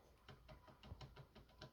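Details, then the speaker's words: 2001–2002 BMW E46 318i RHD, lower steering shaft rubber universal joint rocked by hand: light rapid knocks about five a second from play at the rivet; fix planned with a solid joint. "so definitely a lot of play there and you can even hear it now so it almost depends on what position you test it but if you get it you can't miss it"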